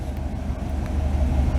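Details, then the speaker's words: V8 car, a little cold, restarting after its MSD distributor was repaired (failed control module caused no spark): catches right away and settles into a deep, even idle with no misses or ticking. "A little bit cold. She didn't warm up that much. Just fires right up."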